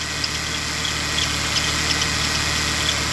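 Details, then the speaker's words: Ford Taurus steady idle with the part disconnected: even speed, no hunting, constant hiss over the engine. RPM is far more stable than when connected. The charge regulator integrated in the computer is blamed for RPM variation and power loss. "Regardez les données du RPM, comment ils ont changé, que c'est beaucoup plus stable. Avant que je le déconnecte et après."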